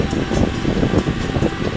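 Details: Propcycle fan with its cover off, after replacing rubber-mounted nylon bushings with ball bearings in aluminum, giving a steady, even whoosh with no grinding or rattle; the fan now runs much quieter and better.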